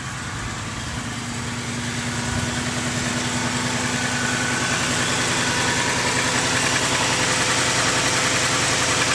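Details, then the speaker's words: Ford F-150 "Old Green" cold start on a chilly day, not run all day: a fast, fairly even idle at elevated rpm that slowly firms up, with a quieter valvetrain and no clatter or ticking. Normal cold start idle. "how much quieter the valvetrain is on a start that's a good sign well also to the RPMs are a bit higher as well see if that if it's idle down a little bit sounds really good on startup"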